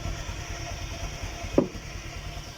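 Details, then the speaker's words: Honda Airblade 150 scooter that was cutting out while riding: after side-stand switch wires were bridged, engine starts and idles with side stand down, low even putter with one brief clack, running steadily without stalling. "pero gumagana siya kasi nga nak nakarekta na siya guys kaya kahit nakababa yan mapapagana mo na siya ulit"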